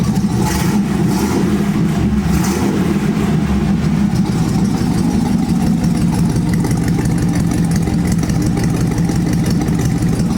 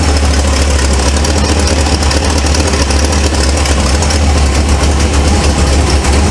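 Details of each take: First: 1948 Ford F1 custom panel truck after replacing the exhaust manifold to fix a leak: steady, even petrol idle with deep exhaust note, no ticking or puffing; normal idle. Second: 1948 Ford F1 custom panel truck, engine fairly cold at idle: rough, raspy puffing over a deep rumble; exhaust manifold leak, manifold to be replaced.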